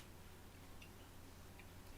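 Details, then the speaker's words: WR Smith Grasshopper clock center wheel after broaching its holes, rocked side to side: a few soft light clicks, wheel moving freely up and down with good end shake and turning nicely, a healthy fit. "Now there's the shake. You can see it's moving freely up and down. And it turns nicely. And you can hear it click as you turn it either side to side."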